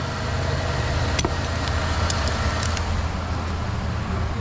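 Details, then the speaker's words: 2008 Saturn Aura XE GM 3.5L V6 after no-crank fix and starter work: starts and runs with smooth, even low hum, no knocks, misses or grinding; normal running. "here goes nothing how it lives we have created life again"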